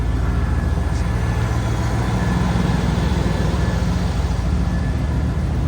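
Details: Fire-damaged 1998 Chevrolet K2500 big-block V8, 4WD, dash fire nearly a year ago, just started after battery connection: deep, lumpy rumble at steady idle with even firing pulses and no clear knock; engine idles fine.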